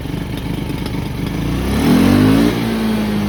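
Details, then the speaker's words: 2010 Polaris Ranger RZR 170, neglected and sitting for years, with the fuel line replaced and a spring that fell out: the engine blips, then falls to a slightly wavering idle. Uneven idle; owner thinks the air screw needs adjustment. "I think it just needs an air screw adjustment now idles"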